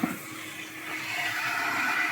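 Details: Draco drum filter with a newly fitted upgraded wash pump, switched on and priming: a steady electric hum and a spray hiss that builds slightly, with a small hose leak needing tightening; it runs normally.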